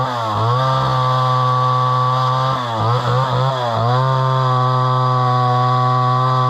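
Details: Homelite Super XL chainsaw bought at auction, probably 50+ years old, 20-inch bar; crisp two-stroke buzz bogs slightly as the chain bites into wood, then recovers cleanly to full revs; runs strong with good power.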